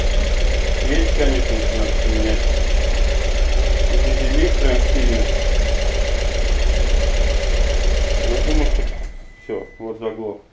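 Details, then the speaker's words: Audi TT self-rebuilt engine on first start: fast fairly even light ticking, about three or four a second, over the idle from hydraulic lifters still pumping up, no other noises heard; then shut off. "пока что я вроде бы посторонних шумов таких прям не слышу только компенсаторы все заглушают"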